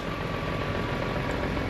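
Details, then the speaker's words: 2004 BMW E46 M3 with new tires, idling: a steady, even idle with a smooth, unchanging hum and no knocks or ticks. The engine sounds healthy. "You hear the engine sounds healthy."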